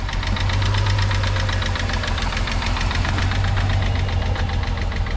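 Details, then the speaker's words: VR6 Volkswagen Beetle at idle with quick light ticking, about five or six a second; suspected hydraulic lifter tick, which the owner thinks is from long sitting, recently replaced timing chains, before engine flush, oil change and lifter additive. "we're going to hope and pray that that lifter tick gets better again I'm really thinking it's just from sitting it doesn't seem alarming I've heard a lot worse but uh yeah it's definitely not good"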